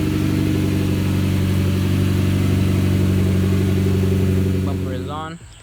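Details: Mitsubishi Evo X after replacing slipping original clutch with ACT clutch, first start on a 92°F day: smooth, steady low idle rumble, even firing, no knocks, ticks or slipping noises; engine healthy.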